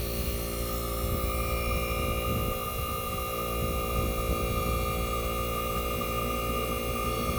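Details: 1965 Fedders Weatherwheel air conditioner on high cool, Tecumseh AJM compressor running with the fan cut off, mic near the compressor: steady, even low hum, no knocking or rattling; compressor running normally.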